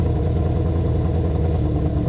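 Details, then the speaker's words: Honda CB500/550 four-cylinder, started from cold with no choke at about 90°F: a steady, rather quick drone whose idle hangs high without settling. The idle screw changes the hang-up speed, and the owner suspects an idle-circuit problem. "I don't know if this is a really good idle right here or not but with it hanging up the way it does it's hard to tell if it's idling or hanging"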